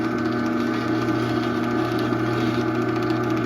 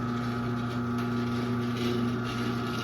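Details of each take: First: 2001 Chamberlain 7320 1/2HP chain-drive opener, whose sprocket gear was completely shot when acquired, running the door down: a steady, even motor hum and smooth chain whir, no grinding or skipping, then it coasts quietly to a stop; normal. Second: 2001 Chamberlain 7320 1/2 HP chain-drive garage door opener, no door attached, with a rail, chain, cable and pulley taken from a Craftsman: steady motor hum with a constant buzzy drone as the trolley vibrates along the rail.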